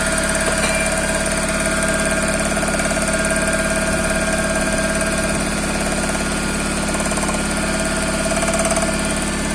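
Steady idle with a dull, regular knock about three times a second over the running engine; a knock from inside, cause not evident.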